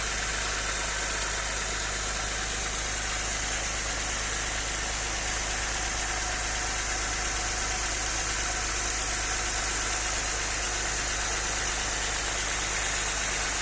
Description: Ребята подскажите пожалуйста что стучит Audi 100 c4 2.6. , пишите, буду рад коментариям.